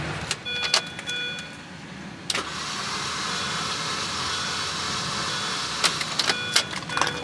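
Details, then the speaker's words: Supercharged 2006 Mini Cooper S bought at auction: the starter spins steadily but the engine never fires; no spark is suspected (coil pack), and a later test showed 0–30 psi compression; crank, no start. "but as of right now i'm thinking there is no signal for the spark plugs to fire"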